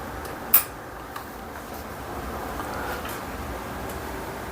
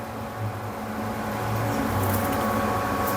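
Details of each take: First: Epson S31+ projector brought in for noise and a Lamp status error, running on test: soft, even fan hush with a few handling clicks and no rattle or whine; the fault appears to be only the lamp. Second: Epson S31+ projector running with a steady humming whir and faint whine, no clean rhythm; noise probably from the lamp, with a Lamp error in status. Cooling section very dirty from a missing air filter. Resolved by replacing the lamp and air filter.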